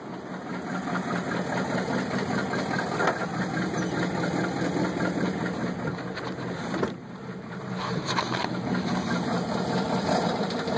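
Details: 1983 GMC engine running: dull, fairly regular knock about two or three beats per second at idle; suspected rod knock, unconfirmed.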